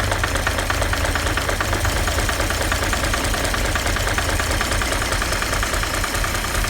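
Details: 1940 Chevy 216 inline-six at idle with oil pressure about 5: steady rapid knock over the engine note from bad bearings; needs a rebuild.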